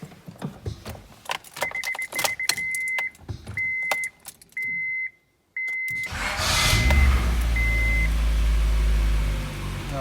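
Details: 1997 Honda Prelude after a valve job: head resurfaced, exhaust valves replaced, new head gasket and manual timing tensioner. Earlier no-start blamed on the crank position sensor. A few chime beeps, then steady cranking that never fires on this attempt. Crank no start; it starts on retry.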